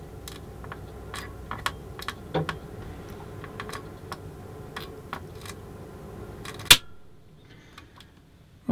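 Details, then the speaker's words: Eaton AFDD (arc fault detection device) test with a heater load: irregular sharp crackles and snaps over a low hum from a switch contact arcing under load, before the device finally tripped. "so would you may have heard there's quite a bit of arcing going on there"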